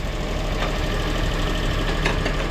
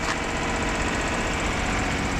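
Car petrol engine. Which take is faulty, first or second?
second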